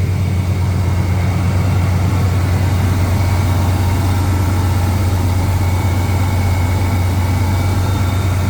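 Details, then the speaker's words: Owner suspects bad idler pulley, air pump or AC clutch bearing after long sitting on stock big-block 454 SS (reportedly new camshaft), cold start: deep steady idle with faint thin whine from front accessory drive; later points to idler as definitely bad. "Maybe an idler pulley or my air pump or Maybe it's the bearing in my AC clutch. That's what happens when things sit for too long."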